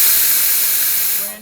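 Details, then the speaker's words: Fisher positioner with cover off during ValveLink auto-calibration: steady high-pitched airy hiss fading near the end, nothing low underneath; normal bleed breathing, not a leak. "It's a good good practice to get to hear this thing breathe."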